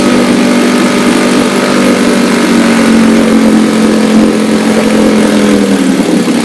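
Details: Restored 1962 Johnson Seahorse 3 HP two-stroke outboard, warm, running after high-speed needle trimmed, water pump discharging good warm water with exhaust; steady even buzz with low drone, no misses or knocks; normal running.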